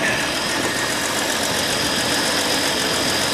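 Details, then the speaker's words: Ford Falcon started after sitting all winter, running on a fuel cell: fairly even idle with a faint, irregular little exhaust pop; owner notes a little pop but says it runs pretty good, cause unclear. "I got a little pop to it but I'm not going to complain yep running pretty good actually"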